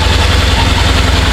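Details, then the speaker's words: 2014 Ford F-150 5.0L V8 after starter replacement, cooling hose assembly and throttle body cleaning, first start: steady low idle pulse with faint airy hiss, suspected wet slipping belt; starter sounded good, no coolant leak. "sound like we got a wet belt down there that starter sounded good we got no water leaking that's a good thing"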